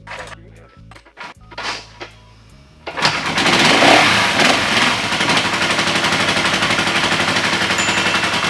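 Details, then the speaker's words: Honda CL450 cafe racer project, warmed up, no choke, after topping up low oil: fires on the first try and settles into a steady even beat around four pulses a second with crisp exhaust, smoking less; normal running. "the oil was a little low it had to circulate from the first up into the engine so we topped it off let's see if it starts now no choke warmed up that was actually the first one he's already starting to smoke less"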